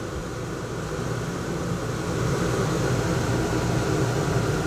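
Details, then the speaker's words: Rooftop air conditioner in a bus conversion, not yet ducted, so all airflow exits one lower vent and it is loud. Steady rushing airflow with a low hum, even and unchanging; running normally, expected to be quieter once ducted. "we go so I can hear myself think that's the only downside to a rooftop air conditioner but when I ducked it all it'll be quite a bit quieter everything's coming out of that lower vent there right now this vent here and so it's fairly loud but once it all once it's all ducted it should be quite a bit quieter anyways I'm"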